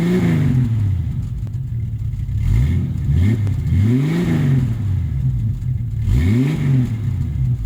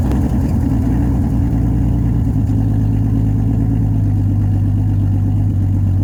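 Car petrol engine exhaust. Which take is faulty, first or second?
second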